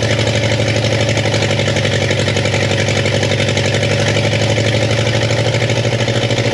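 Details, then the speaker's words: 1962 Chevy Impala convertible with transplanted 307 V8 and 4-speed, sat for decades, first brief start before timing-light setting: steady idle, louder now firing on all cylinders, with rapid, even ticking clatter on top; owners suspect a sticky valve. "it just sounds funny it's way louder than it was it's cuz it's hitting on all cylinders now that's the truth I still think we got a little uh sticky valve issue there"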